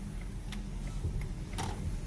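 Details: Car towed in with turn signal not working, fixed by replacing the clock spring, test drive making a right turn: faint light ticks over low engine rumble, flasher spaced; signal works and cancels normally after repair.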